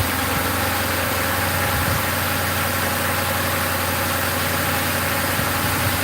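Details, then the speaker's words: 2005 Ford Crown Victoria police V8 after replacing grounded number 4 coil and plug (had blown fuse 9, codes P0351-P0358); even steady idle, no misfire, stumble or ticking, running to check fuse: normal idle. "That's pretty smooth. Sounds good. We'll let it run. We'll let it run for 5 minutes."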